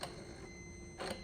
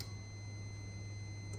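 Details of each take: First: Gen 3 truck fitted with a Gen 4 90mm drive-by-wire throttle body and 99-02 TAC module for a TBSS intake swap, key on, pedal pressed: two short whirring clicks a second apart plus an unexplained ringing; throttle blade moves normally. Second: Gen 3 Chevy truck with a Gen 4 90mm drive-by-wire throttle body, 99-02 TAC module and adapter harness for a TBSS intake swap; at key-on a thin, steady high-pitched ring holds while a low hum cuts out, cause unclear.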